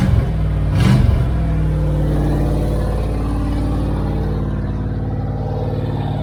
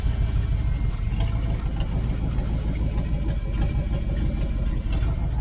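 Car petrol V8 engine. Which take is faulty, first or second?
first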